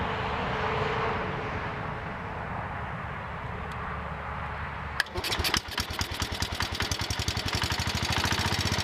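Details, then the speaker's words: John Deere 110 garden tractor single-cylinder engine after rod knock repair on a worn engine; catches and settles into a steady, even thump with lifter ticking and belt rattle, no rod knock. Normal idle. "okay that sounds better now I hear the lifters ticking and some other stuff rattling sounds like the belts flopping around some but I don't hear a rod knock"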